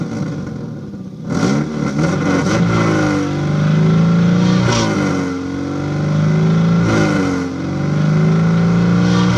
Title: Start Up and Rev of 2002 Subaru Legacy GT 2.5 With Exhaust Leak